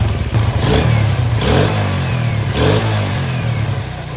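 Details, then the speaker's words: Vega R New motorcycle after repair for white exhaust smoke and a rough engine note. Clean throttle blips rise and settle back to a smooth idle, no top-end clatter. Smoke gone. Normal running. "Suaranya udah enggak kayak kacang goreng lagi, Lek. Suaranya udah lumayan halus, Le."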